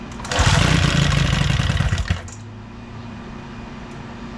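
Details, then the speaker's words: Old outboard boat motor after new spark plugs, new ignition coils, carburetor cleaning and new O-rings, brief test run: catches and runs with an even, rapid beat for a couple of seconds before being shut off; starts and runs. "much much better sounds like she wants to run so we're going to fill a tank"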